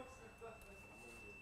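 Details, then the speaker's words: Japanese car, 6 years old with 165,000 km, engine off: thin steady high squeal at one pitch coming from an electronic unit at the rear, which stops when the unit is unplugged. Electronic module whine. "по всему он этот писк и не сдать там сейчас яму отчетливо слышно я думаю даже в его через микрофон слышите пробовал отключить вообще походу [ __ ] поэтому мы пищи но судя по всему вот блок отключили писк ушел"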